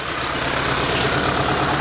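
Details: 2022 Kia Sorento with check engine light and misfire codes, idling: rough, uneven beat, one cylinder seemingly dropping out; injector drive confirmed present, cause still being diagnosed.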